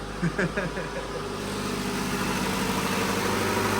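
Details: Honda Civic EF (son's project car) with a weak, nearly dead battery: after failed attempts it catches with a few rough fires, then settles to a steady, even idle with no miss or knock. It runs fine.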